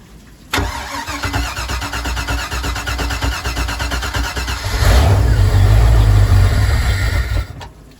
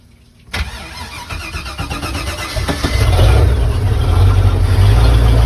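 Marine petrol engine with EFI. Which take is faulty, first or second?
first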